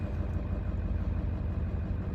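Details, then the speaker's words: 1995 Ford F-350 7.3L diesel idling at about 39°F just after glow-plug relay replacement; started right up, the relay then disengaged and voltage climbed back to normal charging: deep, steady, unbroken diesel rumble with no misses; normal idle. "there it goes start right up"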